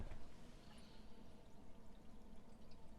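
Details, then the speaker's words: Home water supply after leak repair with new valve, running through new filters while filling a big tank, no drips on the new parts; steady low rushing and gurgle of water through pipes and filters; normal flow. "Everything new down here is seeming to be holding. We're running through the new filters."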